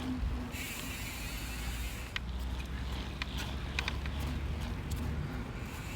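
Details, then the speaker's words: Yeti SB100 mountain bike ridden after the bottom bracket and headset were replaced: sharp, irregular snaps about every second over a low rolling rumble. The snapping noise persists and its source is unknown. "David Yeti, we just replaced the bottom bracket and headset per your request, and definitely still making the noise."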